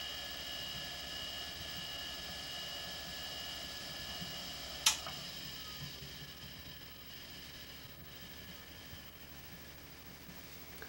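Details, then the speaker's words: Quantum ProDrive ELS 127 MB hard drive from 1993, once warmed: steady thin high whine over a faint hum with one brief click, no head chatter; the start-up oddity has gone. Normal spindle motor hum. "Il faisait un bruit un peu étrange au démarrage, mais quand il s'est réchauffé, le bruit a disparu. Donc on entend bien le moteur, mais les têtes sont silencieuses."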